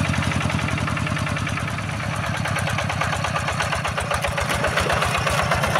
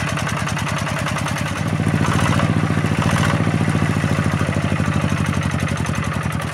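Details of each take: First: Yanmar TF-85 single-cylinder diesel tractor engine running evenly, itself smooth, with a tinny rattle from many loose, worn panels on the tractor housing adding noise. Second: Yanmar TF-85 single-cylinder diesel tractor thumps three to four times a second under a metallic jingle from worn fan bearings and fan-adjuster bearings, plus loose tractor body rattle; engine itself runs smooth.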